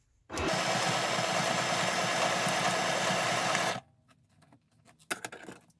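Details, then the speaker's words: Sewing machine stitching foam and fabric for a journal soft cover: fast, steady stitching chatter with a thin squeak on top as it labours under load. "you can hear it squeaking because my sewing machine doesn't like it here we go"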